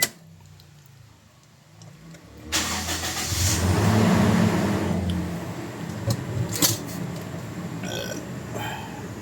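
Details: Toyota Innova after throttle body cleaning, which fixed a high idle near 2,000 rpm at start that was slow to drop; it now settles at 900 rpm. The engine is restarted after switch-off: a short crank catches and settles into a steady, even idle with no misses. Normal start and idle.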